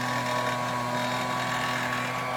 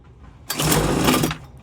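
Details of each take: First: Homelite UT08572 30cc backpack leaf blower, a small two-stroke bought marked "fix me," being started after a repair. It buzzes steadily, dips briefly to a low idle, then picks straight back up to speed. Normal running. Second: Homelite UT08572 Blower II, possibly flooded, switch in start position: short pull-start burst of rough cranking that almost catches but dies; won't run, cause unknown.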